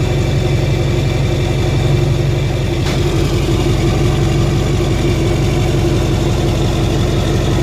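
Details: 2007 Duramax LBZ diesel (deleted, 4-inch MBRP exhaust) after replacing leaking up-pipe gaskets: steady idle with even low clatter, no puffing or hissing leak; boost/exhaust leak fixed.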